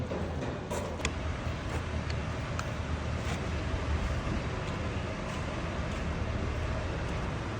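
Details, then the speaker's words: 2006 Ford Mustang, no-crank, no-start with CAN communication error; after replacing two relays and fuses it starts. Low, even rumble holding steady without stumbles or hunting; engine idling normally, fault cleared. "[संगीत] तो माशा्लाह हो गई है start clear हो गई है"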